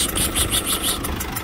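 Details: Citroën C4 Picasso 1.6 HDi 110 diesel, cold engine at morning start idling, sharp rapid ticking about five to six per second over the rumble, burnt diesel smell; leaking injector seals.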